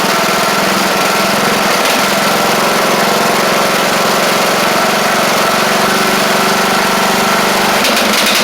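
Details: Craftsman LT1000 mower with Briggs Intek single, after head work: held at high throttle it drones steady but rough and blubbery, sounding very rich at speed. A bad carb or mixture screw out too far is suspected; unconfirmed.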